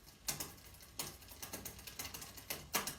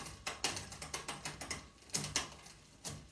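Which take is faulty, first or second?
first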